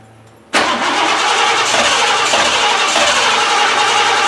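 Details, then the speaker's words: 1988 Lincoln Town Car, first start with a rusty fuel tank: long crank, then it catches abruptly and runs rough and uneven; suspected hung-up injectors or fuel starved through a dirty filter, not confirmed. "you actually attempted to start this time it sounds like the injectors are either hung up or I'm not getting filled through that nasty filter"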